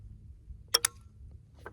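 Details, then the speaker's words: Raven R26 crossbow: cocking sled pressed onto the string gives two crisp clicks then a softer one, showing it has latched properly on the string. "you can hear that that nice clicking noise that means you're on there"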